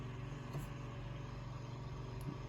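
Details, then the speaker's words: Room Essentials Velocity F-0411 four-inch single-speed desk fan running: steady low hum with an even airy whoosh, no vibration or rattle, not particularly noisy, normal running. "it's got some zoom to it makes a typical fan noise but no like vibration or anything it's not particularly noisy"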